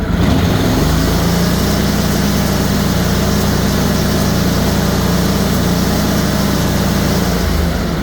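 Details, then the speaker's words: Simplicity/Ferris-built Derby zero-turn mower after ignition coil/module replacement: the engine revs up and holds a smooth steady drone with no exhaust popping at higher rpm. "and there's absolutely no popping if you recall I replaced the ignition coils on this uh because at higher RPMs you could hear it popping through the exhaust"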